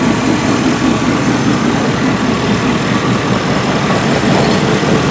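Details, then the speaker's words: 1988 GMC 1500 two-wheel-drive automatic with a 350 V8 and glass-pack exhaust. A steady, burbly, loud idle: the worn engine burns oil and blows blue smoke but runs smoothly. "it's a plain old 350 is worn out burns oil it smokes but this truck never let us down"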